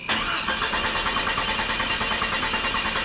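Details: 1996 Jeep 4.0L cranks with no start: starter churns at an even pace for about three seconds but the engine never fires. No spark from an ignition coil that failed during A/C servicing, with no prior misfire or no-start complaints; fuel pump and fuel pressure ruled out.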